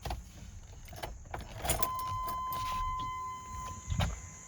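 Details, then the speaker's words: Chevy S10 after new fuel feed line and filter installed, battery reconnected: key click then steady electric whine about 1.5 seconds that cuts off; normal fuel pump priming at key-on, no leaks found. "Let's flip the key, should prime the system with fuel, and see if we have any leaks."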